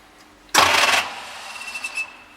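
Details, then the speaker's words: 1939 Bristol bus with a rebuilt diesel engine, decompressed, first start attempt: one harsh metallic clatter as the starter button is pressed, then near silence. The engine never turns over; the pinion was first thought to be bouncing off the ring gear, and the starter is suspect. "so the nasty clattering noise that you can hear at the time I thought that was the start opinion bouncing off the ring gear but it certainly isn't turning the engine over"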